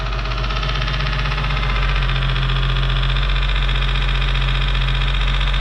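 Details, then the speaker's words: 2008 Nissan 350Z 3.5L VQ35DE, engine not yet warm, quick revs then idle, heard from outside the car: smooth deep running with a light regular tick about four times a second, a broken piece of the fan hitting the pulley, not engine noise. "it's uh the pulley is hitting down there but it's not motor noise that is a he's like a motor yeah piece of the fan is hitting there"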